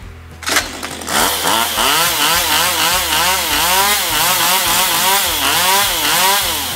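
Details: STIHL MS192TC chainsaw, reported hard to start and unstable: revs surge up and down about every second with odd pops, never settling; carburetor adjusted as the fix, possibly end of engine life.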